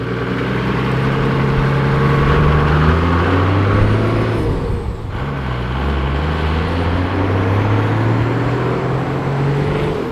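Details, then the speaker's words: Custom 45 Series Toyota Landcruiser ute with new 5-speed and new heavy-duty clutch, driving without sound deadening, heard from cab: loud engine pulling through gears, pitch rising and dropping on shifts, turbo whistle on top; exhaust and turbo sound healthy. "I tell you what, without that sound deadening, I'll talk about that soon, it was loud as hell, but the exhaust sounded great and that turbo whistle sounded even better."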